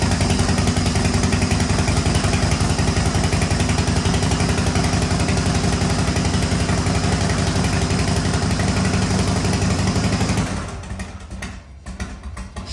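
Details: 1985 Harley-Davidson FXRS Evo V-twin, sat five years, new carburettor, oil-mixed fuel, smoking heavily: steady, even loping idle about ten seconds with no misses or knocks, then shuts off; running properly.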